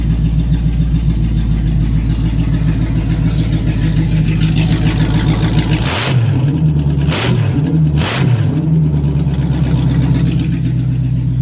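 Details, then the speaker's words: Open-exhaust 350 small-block V8 with no exhaust fitted, pedal barely pressed, being moved to the lift after a partial rear brake bleed. Loud, deep open-pipe rumble with a few quick throttle blips that rise and fall cleanly; running healthy. "It has no exhaust on it right now. But it is a mean 350 in this car."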